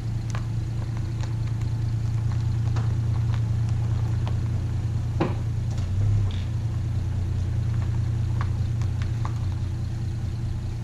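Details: Valiant slant six warming up after seven-month cold start: steady low idle with light ticks and a small stumble midway, smooths at fast idle; owner plans a valve adjustment.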